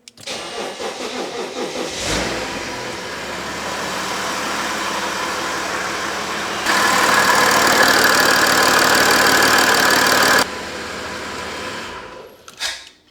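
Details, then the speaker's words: BMW E92 335d diesel mid RHD-to-LHD conversion, first runs after troubleshooting, no coolant or filters fitted: short crank, catches cleanly, settles to steady even idle without knocks or misses. Normal start and idle. "The engine is finally running. Let's start it again and see."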